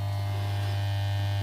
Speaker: There's a bit of humming in there. Where's the humming coming from?